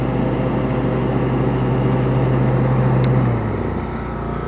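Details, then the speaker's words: Small Briggs & Stratton single-cylinder engine on an Ariens zero-turn mower with blades engaged, during routine service: speed sags and surges slightly near the end; only a pilot jet adjustment needed. "We'll adjust the the pilot jet a little bit here. I can hear it just surging. That's a tiny bit. So, only a pilot jet adjustment is all it needs."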